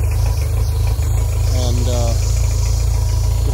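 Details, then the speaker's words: Yamaha F90 outboard, first start after head milling and new head gasket, valves set .20/.30 mm, 10W-30 oil, ethanol-free fuel: fuel pump priming, starts right up into a steady, even low idle with no knocks; runs well but needs a water pump impeller, not peeing. "you kind of hear the fuel pump priming and here we go it starts right up"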